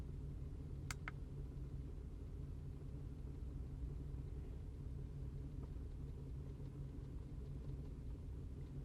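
Quiet low idle with an uneven, lumpy beat that stumbles irregularly rather than running smooth; points to a misfire at idle.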